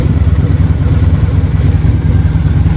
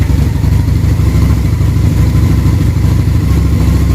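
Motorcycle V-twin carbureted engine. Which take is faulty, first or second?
second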